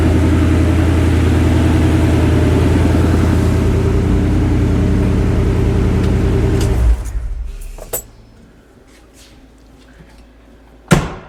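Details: Ford Ranger after custom fuel cell and in-tank Holley Sniper EFI pump replaced noisy external pump: even idle with clean exhaust note and no pump whine, then shutdown; fuel system and engine sound healthy.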